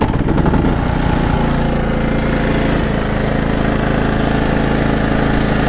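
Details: Gas-only generator started with its battery disconnected: a steady, even drone at constant speed with no hunting, misfire or knocking; it starts and runs normally without the battery.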